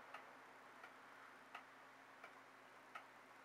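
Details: Regulator pendulum clock restarted after calendar hand repair: faint, even ticks about every 0.7 seconds in a quiet room; clock running normally.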